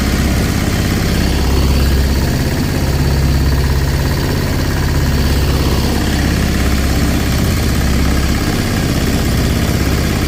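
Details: Sailboat diesel inboard conversion (version 3.0) with new belt drive, much quieter with less vibration: steady even low diesel rumble, no knocks or uneven beats; running smoothly, normal.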